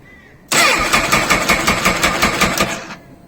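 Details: Honda CBF1000, original battery, after long stationary idling: starter turns slowly in labored pulses, about 160 a minute, catches briefly and dies; owner suspects battery drained by poor charging at idle, possibly the stator, unconfirmed.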